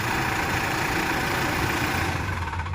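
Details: Toyota Commuter diesel van after a no-start was scanned and the starter repaired: steady, even diesel clatter with no misses or dropouts. Normal idle.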